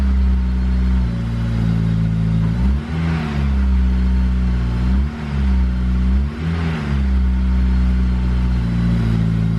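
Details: Honda S2000 with modified titanium exhaust (2.5-inch branch), blipped through mid-range revs from 1750 rpm fast idle, previously the worst drone area; steady smooth exhaust note, no drone; normal.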